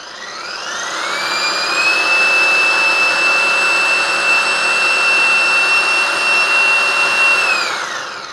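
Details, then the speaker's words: Wagner paint sprayer pump, bench-wired during teardown, pressure control cranked all the way up: loud high motor whine spins up, holds a steady pitch for several seconds, then winds down; normal pump run at maximum pressure. "can't believe it's supposed to run like that"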